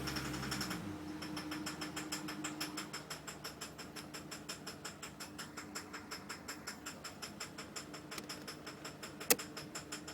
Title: VT Knocking/rattle noise 2